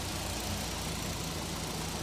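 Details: Suzuki K6A turbo in a DA64V van idling after repair of a broken exhaust valve (compression on cylinder three was low at 100, engine had misfired and shaken), thermostat removed, aircon on; steady even low hum, no stumble or shake, smooth normal idle.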